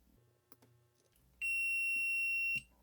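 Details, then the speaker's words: DigiTech Bad Monkey overdrive pedal outputting only dry signal, footswitch tested with multimeter on continuity: single clean high beep about a second each press; switch closes properly, not the fault. "yep let's try it again and let's do it again yep every time I push it it beeps so we have continuity the switch is working fine"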